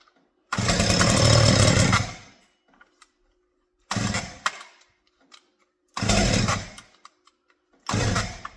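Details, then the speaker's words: Stihl 201T chainsaw, hard to start and wouldn't idle, after full teardown and cleaning, at half choke: fires and revs cleanly in short two-second bursts, dropping back between blips; running fine. "all right now we have gas all the way through the carb uh it seems as though it's good to go"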